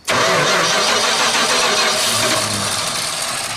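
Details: 1978 Dodge D100 that sat almost 20 years, out of gear with spark confirmed and fuel poured in: steady fast cranking at about 3.5 turns a second with ragged near-catches that never take, so it cranks but will not start.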